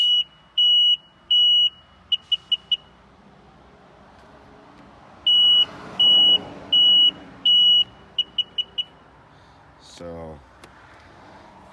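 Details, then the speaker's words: 2001 Sea-Doo GTI LE RFI two-stroke, no start: four beeps with key in, then four fast beeps on pressing start, never cranks; fault code, computer suspected. "I'll put the key in I'm getting four beats one two three four and then when I go to start it I'm getting four fast beats"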